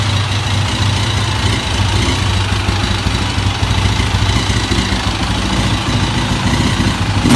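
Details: KTM EXC single-cylinder at idle: rough, uneven low thump with some blips; something sounds off, but the owner doesn't know what is faulty.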